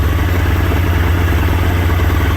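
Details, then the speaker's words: Polaris Indy 680 Ultra snowmobile, nearly 700cc two-stroke with carburetor, restarted after a ride: steady, even low burble idle with no misses or surges; normal idle. "Let's go ahead and check out our idle. See, it starts right up."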